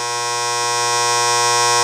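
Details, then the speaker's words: Game machine's newly fitted lock relay coil: a loud steady electrical buzz that grows louder when switched back on, far more than the normal slight hum. "it has a hum to it and it will have some kind of hum but it shouldn't sound where I have to talk loud"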